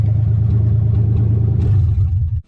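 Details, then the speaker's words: Nissan 300ZX with 1990 engine, after fitting replacement MAF, still cold (owner says valves need heat to seal): steady drone, smooth rev and clean return; revs smoother, no longer hesitant; normal revving. "But it sounds good, revs good. It definitely revs smoother. It was real hesitant when the old MAF was on there, so another step in the right direction."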